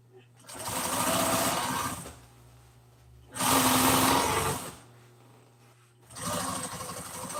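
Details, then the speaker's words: Sewing machine sewing seams in gray thread on seat-cover pieces for a 1997 Ford F350: fast, even needle chatter in bursts of a couple of seconds with pauses between seams. Normal operation. "And just like that you got your pieces sewed. Uh now we're going to start sewing some of these pieces uh together and start trying to put the seat cover back together."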